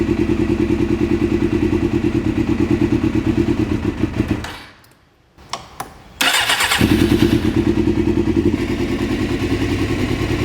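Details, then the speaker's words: 1997 Suzuki GSX-R750 after cylinder head work for low compression, first start on choke: uneven, lumpy idle with a stumbling beat after the blip; number one cylinder not firing, cold with no fuel, needle suspected stuck. "So, it's still not hitting on number one."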